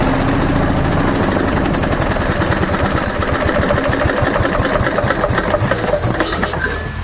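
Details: 1970s Briggs & Stratton generator built for Princess Auto: loud, rapid, steady single-cylinder chatter at even speed without misses. The engine runs fine but produces no electrical output, possibly a cord issue or a fault inside the generator.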